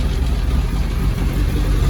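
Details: Classic Mini Z-car, unused for a couple of years, running on old stale fuel. Deep even rumble at a slightly raised idle with no misses or knocks.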